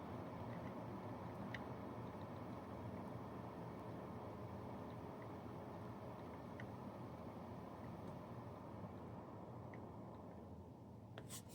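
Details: Brinkley RV under-bed fan box after a fix for loud bedroom noise, dialed way down: very soft, even airflow hiss with a faint low hum and no clicking; normal quiet fan at low speed.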